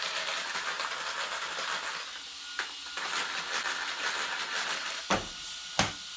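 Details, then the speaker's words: T2M Black Pirate MT RC truck, new, before its first runs: harsh metallic rattle and hiss with sharp clacks at a slow crawl, only at low speed, from the drivetrain; cause not pinned down, rechecking after three runs. "métallique très prononcé mais que à bas régime on verra ce qui se passe au bout de de trois run si ça s'est gommé si c'est resté"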